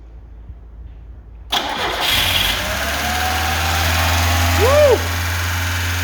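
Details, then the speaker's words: Carbureted Lada 2104 with a suspected bad fuel pump: it cranks, catches quickly and settles into a steady idle with a brief chirp. It keeps running well even without the choke. "okay it's without the choke she's still running let's put more guessing in okay she's running really good I can't believe it"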